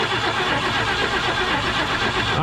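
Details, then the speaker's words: 1965 Mercury Montclair Breezeway, sitting 16 years, first start attempt after neutral relay switch issue: starter cranks at an even rhythm but never fires; no spark seen, crank no start. "hold on i don't know if i'm seeing spark or not all right uh one second i'm not seeing i'll see any spark there turn it over again no spark no spark"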